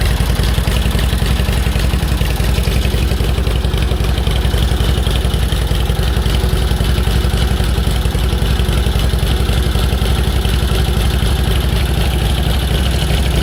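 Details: 1946 Indian Chief V-twin motorcycle, original engine, restarted after about 12 years in storage and clutch linkage adjusted: steady, even low thumping idle at a constant beat with no misses or stumbles; normal idle.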